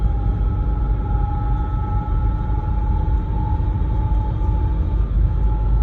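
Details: BMW E90 while driving: steady constant-pitch whine over low road rumble; owner suspects the differential, unconfirmed.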